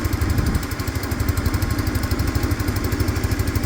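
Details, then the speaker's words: Peugeot Tweet scooter with a new ignition fitted, tested on a power pack. Quick, even single-cylinder putter at idle, steady in pitch and rhythm; the engine sounds good. Brake lights work, but the horn and indicators don't. "do have brake lights front and back do have brake lights the engine sounds good"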